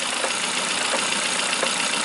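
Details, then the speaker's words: Kia Picanto with past accident damage, engine idling: faint dull knocks about every 0.7 s as the steering wheel is rocked left and right; worn joint inside the steering column, fix is replacing the column. "شوفوا الفرن حركة يمين ويسار، حركة عليه تسمعوا فيها الضربة."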